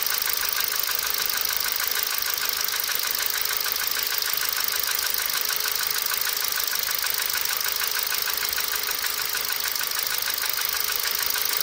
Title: Ticking sound 1,6 ti vct